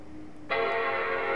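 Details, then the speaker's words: Mac Pro (2009-2012) powered on with Command-Option-R-P held for NVRAM reset, all drives removed: clean startup chime after a short quiet stretch, first of two, fans revving slightly as NVRAM resets; normal. "That was the first chime. Now we keep the keys pressed, and you can hear the fans revving up a little bit as it's resetting NVRAM."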